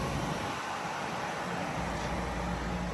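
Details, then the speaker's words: Whynter 14,000 BTU dual-hose portable AC running indoors with compressor on and exhaust vent going: steady even airflow hiss with low compressor hum, no rattles or knocks, probably a little quieter than a 14,000 window unit, blowing cold air; normal running. "it ain't too loud. It's probably maybe a little quieter than my 14,000 window unit that It is kicking out some cold air there."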